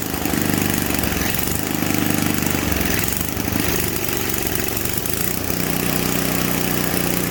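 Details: Simplicity 560 snowblower small single-cylinder engine, primed and fresh gas added during a tune-up, in cold weather: fires and settles into a steady putter with slight unevenness, a small hiccup at idle; running normally.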